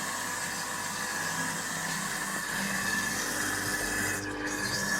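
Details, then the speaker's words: Kitchen food waste disposer after replacing the worn upper shaft bearing (6002-2Z) and seal, apparently damaged by moisture past the seal, that caused loud howling: steady even whir, faint hum, no howl or grinding; healthy. "Давайте включим его ну здесь самое главное ну вроде нормально Не ну по сравнению с тем что было да как он выл мы его даже после восьми вечера не включали чтобы соседей не пугать сейчас все просто супер"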